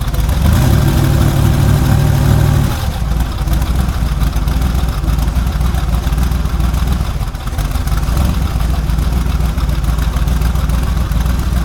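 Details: Quad-turbo car just fitted with a 115–120 A GM 3800 alternator on an adjustable spring tensioner, checked for charging and belt squeal: catches and settles into a loud, steady, deep rumble with no belt squeal or whine; normal running.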